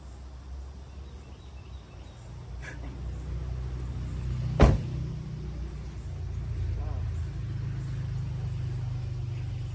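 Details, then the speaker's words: 7th-gen Honda Accord after manual transmission swap, at idle: steady low drone with the clutch pedal pressed that disappears when put in gear; owner suspects the transmission, cause unconfirmed. "that noise is the transmission or has something to do with it because when I put the car into a gear it does not make that noise which is very scary"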